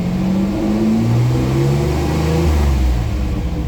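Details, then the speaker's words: 1988 Ford Bronco II after replacing fuel filter and both fuel pumps: engine picks up smoothly on light throttle blips and settles back without stumbling; getting more fuel, response much improved, idle issue remains. "Oh yeah. That it responds so much better. It's getting more fuel."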